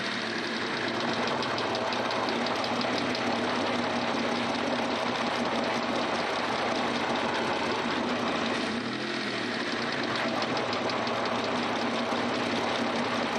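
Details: Mitsubishi 3000GT VR-4 / Stealth at steady idle: fast, light ticking riding over the engine throughout from the top end; lifter tick suspected, not pinned down.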